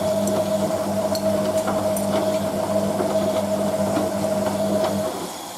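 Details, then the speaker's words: Hotpoint 9530 Electronic 1000 Plus washing machine on Programme 4 (50ºC Coloured Synthetics), polyester/cotton mixed load, rinse: the pump comes on after filling with an even hum and a few light drum clicks, then winds off after five seconds. Normal rinse pump running. "Basically, machine fills and then the pump comes on. When the pump shuts off, when the pressure switch is reactivated to fill the machine again."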